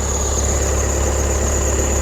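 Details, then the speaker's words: 2020 VW Passat B8 2.0 diesel 110 kW, cold start after long standing in frost: thin steady high-pitched whistle over idle from alternator belt, owner suspects higher morning charging load making belt slip; stops once warmed, accessory belt squeal on cold start. "як чуєте вже не свистить ремінь на генераторі струм зарядки зранку особливо коли машина довго стояла завжди більший і тому ремінь якби прослизає трохи і поскрипує попискує от так як ви чули спочатку пищав тепер вже нічого все [музика] нормально"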